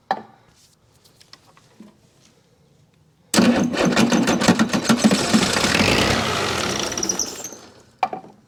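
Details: Chrysler/Mitsubishi 6DS70 marine diesel that sat for years in a barn, being primed with the fuel pump primer on weak jumper batteries: starter cranking with a few uneven chuffs and pops, about three a second. It is trying but not running on its own.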